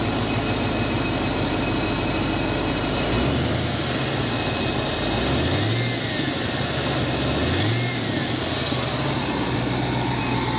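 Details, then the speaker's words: 1994 Ford Mustang 5.0 V8: thin high whistle rising and falling as the engine is blipped, increasing with throttle; owner suspects the intake but is unsure, cause not confirmed. "okay I'm pretty sure it's the [Applause] intake and it increases when throttle is applied"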